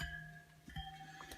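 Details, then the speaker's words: Bicycle wheel being spoked, spokes plucked to check tension: one gives a low, dull twang that fades fast instead of a bright ring; that spoke is loose and needs tightening. "this one that one sounds loose so paint that one up a little bit"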